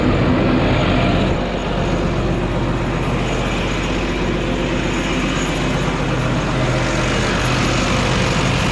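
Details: John Deere 7430 Premium tractor diesel, said to be ether addicted, started during heater control valve repair: steady, even rumble with no knocks, misses or speed dips; normal running.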